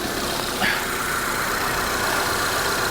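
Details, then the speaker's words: 2022 Honda Civic Sport, 19,000 miles, salvage auction: steady even idle hum with no knocks, ticks or misses; normal idle. "well look at that cute little engine The Little Engine That Could I mean it sounds healthy sounds good 19 000 miles"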